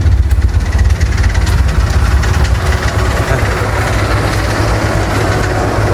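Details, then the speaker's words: Toyota Corolla AE92 (1K) idling rough and misfiring. A low, lumpy, unevenly pulsing idle is heard with heavy shaking and the exhaust vibrating. Rough idle; the cause is not confirmed. "Ayan siya guys, no, bali wala siyang matinong idle. As in nagmi-misfire, tara doon tayo sa labas."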